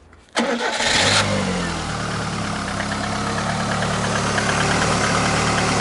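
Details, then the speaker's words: Lada VAZ 2110-2112/Priora first start after replacing the water pump bearing, alternator bearings and tensioner: engine fires quickly, steady even idle, no whine, hum or rustle; normal idle after repair. "так почти собрали нужно первый пуск произвести но ничего не шелестит ну все ребята собрали"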